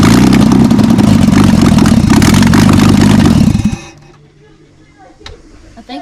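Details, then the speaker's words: VL Commodore, first start after adjusting ignition and cam timing and fitting extractors, before cat-back exhaust installed: loud open-exhaust idle with uneven lumpy pulse about four beats a second; slightly rough idle. "idles certainly idles now I wouldn't say that's as smooth as a baby's bottom know but we need to get this exhaust on"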